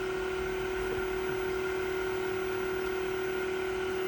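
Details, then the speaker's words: Newly installed variable-speed pool pump motor (replacement) on its low setting: a steady, even, clean mid-pitched whir with no knocks or grinding, no leaks. Running fine. "Listen to her purr, baby. She's running just fine. No leaks."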